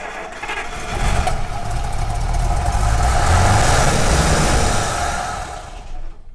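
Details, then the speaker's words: 1948 Buick Roadmaster Model 79, 320 cu in Dynaflash inline eight: fires and runs roughly on poured-in fuel, then dies; filter bowl not filling, tank fuel below pickup, needs more fuel; fuel starvation. "yeah it doesn't have any enough fuel yeah we're going to have to get some more fuel"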